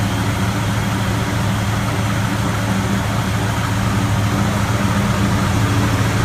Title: 55 running very rough idle